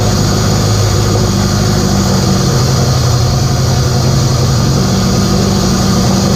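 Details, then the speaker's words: K24a2-swapped Acura Integra first start after injector issue fixed and reinstalled, open downpipe, radiator off: catches and holds steady even idle with loud raw exhaust rasp, no knocks or misses; normal idle. "well it starts"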